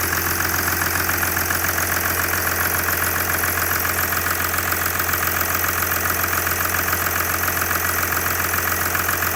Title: OM642 R320 CDI 3.0 V6 diesel cold engine ticking knocking noise